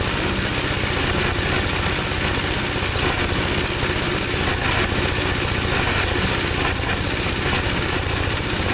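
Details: 1954 Gravely tractor single-cylinder engine after carburetor cleaning, on choke: chugs with uneven stumbling beat, never settles; runs rough, seems rich but stalls when leaned, cause not pinned down.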